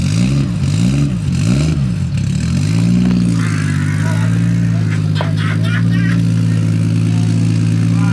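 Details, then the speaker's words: Built 1JZ-GTE swapped into a Nissan 350z at first start-up, around 1000 rpm, staying under 2000: three quick throttle blips rise and fall cleanly, then a smooth even idle; sounds healthy, normal running and revving. "it sounds healthy though"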